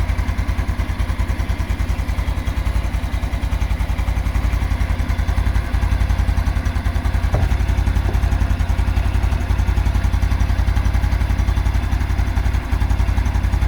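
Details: 2022 Honda Super Cub single at idle: steady light knock about four per second, seemingly from clutch plate area; goes away when revved, returns as rpm settles, hot or cold, starts about a minute after cold start; cause unknown.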